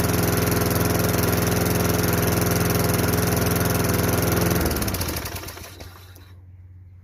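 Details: Craftsman 22-inch mower, 5.5 hp Tecumseh, sat about 10 years, after unplugging the carb bowl nut jet: a steady, regular beat running evenly, then winding down as it is shut off; it runs cleanly.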